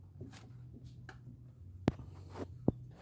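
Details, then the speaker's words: 2013/14 Fiat Palio suspension, noisy on potholed roads; stabilizer link rocked up and down by hand gives two sharp hollow clunks from play, worn sway bar links, fix is replacing both links. "Oi ó ó e é isso aqui ó já estão faz muito barulho Pessoal esse aqui tá então para corrigir essa barulheira toda que tá nesse carrro aqui ó botar trocando as duas bieletas que é preso por essa porta aqui e lá em cima a outra"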